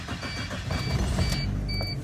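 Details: Car with a no-start from corroded battery terminals (2.5 V drop), after cleaning them with baking powder: deep engine rumble builds as the starter cranks and it catches, with a cabin chime beeping; normal start.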